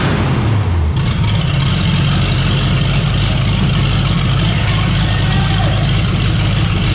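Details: 454 big-block V8 in a Civic, temporary systems, new out-of-box carburetor: short crank then catches into loud, deep, steady idle, no misfire; normal idle.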